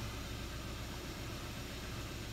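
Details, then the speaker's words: 2014 Kia Rio 1.6 after crankshaft position sensor replacement, fixing hard starts, stalling and dropping RPM gauge: starts much better and settles into steady, even low idle without misses or knocks; normal idle. "let's go ahead and start this up and see what we're looking like [Music] definitely starts a whole lot better"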